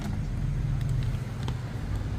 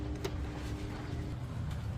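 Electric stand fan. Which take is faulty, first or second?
second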